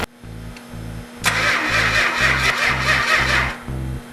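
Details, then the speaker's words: 440 Mopar engine on a run stand with its original six-pack carburetor setup, fuel primed; slow, even cranking at about two beats a second that never fires; no spark, traced to a faulty ignition coil. "Crank it over. Yeah, we got no spark."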